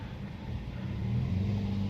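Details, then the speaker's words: Toyota Yaris automatic pulling away after the loose lower-arm bushing bolt was fixed and the worn shock absorber supports were replaced; it previously clacked loudly on take-off. The engine note rises smoothly with no clunk or knock from underneath; the suspension is quiet. "kalau pas angkatan gini kemarin bunyi kencang bunyinya ini sudah enggak bunyi ya"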